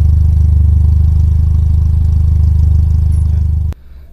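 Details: Toyota Corolla DX carburettor engine idling rough and stumbling with heavy uneven exhaust chuff; black smoke, black sooty plugs and tailpipe; misfire from over-rich mixture caused by a dirty carburettor, to be cleaned.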